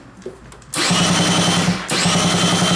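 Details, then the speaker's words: Kymco Vitality 50 2T scooter that would not start on the electric starter, with the spark plug removed: brisk, even cranking, paused once then resumed; starter turns the engine strongly. "kręci elegancko CO wkręcamy świece spróbujemy to uruchomić"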